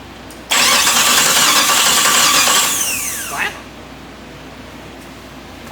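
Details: Jeep TJ swapped to a Chrysler 318 V8 with an AW4 transmission, first turn-over after wiring: the starter spins the engine briskly for about three seconds in an even rhythm of roughly three to four pulses a second; cranking sounds healthy.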